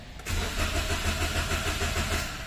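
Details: 2016 Toyota Wigo, manual, that will not start. Steady rhythmic cranking at several beats per second that never fires; the crank sensor is suspected of not giving a signal, not confirmed.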